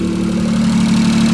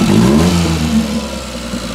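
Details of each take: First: Daihatsu Hijet 4x4 mini truck, 660cc carbureted three-cylinder, idling before a valve adjustment and warming up to adjust hot: fast light ticking in step with engine speed, from valve clearance tapping. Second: Daihatsu Hijet 4x4 mini truck, 660cc three-cylinder, after valve adjustment with the cover back on. It revs up and drops back smoothly with no valvetrain ticking, running far better; slight chatter on throttle the owner believes is normal. Normal engine revving.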